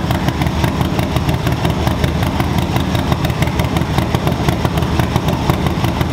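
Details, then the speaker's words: 2024 Harley-Davidson Low Rider ST stage 2 build, 483 Cyclerama cam, SP Concepts 2-into-1 exhaust, first startup, not yet tuned: deep, uneven loping idle with lumpy gallop; normal idle with cam lope. "yeah victory that sounds better than what I expected it sounds amazing that sounds really good"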